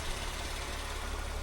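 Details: Mercedes W203 facelift with M112 engine, after repairing the Temic 400 W extra cooling fan module by resoldering: steady idle and an even rushing fan whoosh, no rattle or surging. The fan runs normally.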